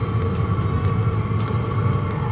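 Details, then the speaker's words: Diesel heater in a 4Wheel camper on a Toyota Tacoma: soft regular ticks about every 0.6 s over a low steady fan hum as the fuel pump pulses diesel from the tank through the filter; normal dosing pump operation. "all the diesel fuel comes down this tank goes through this filter and then it's pump in a pulse-like manner you can hear it"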